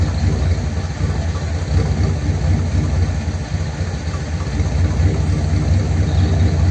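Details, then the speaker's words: 1957 Ford Thunderbird with its original carburetor parts refitted after flooding problems and fouled plugs: a loud, low, lumpy idle with cylinders dropping out now and then; rough idle misfire, with the plugs suspected. "it's probably still got problems with the plugs hear it can you hear it hitting or missing"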